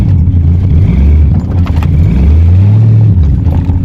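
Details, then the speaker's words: 1984 Corvette, 350 small block with Holley 1460 carb after rejetting and timing toward 34–36° advance, mixture screws 2.5 turns out: a rough rumbling rev with uneven pulses and dips under throttle. Sputter persists; owner suspects the carb, not timing. "Still got that little bit of a sputter though."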